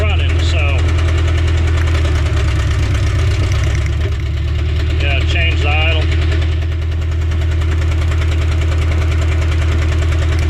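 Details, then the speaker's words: 1988 Mazda B2200 mini truck, long-stored, warmed up: rough, lumpy idle with an uneven stumble; the number one cylinder is misfiring, cause not yet found. "idle doesn't do anything so that number one cylinder's missfire we're going to have to figure out what that is"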